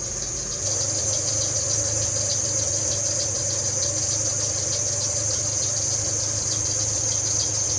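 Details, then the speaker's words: Abandoned Chevrolet S10 after replacing front brake lines and entire front brake system, brakes bled: truck stops but a thin steady high squeak persists, still there after a fix attempt; cause unconfirmed. "As you can see, she stops, but she squeaks again. Let's fix that."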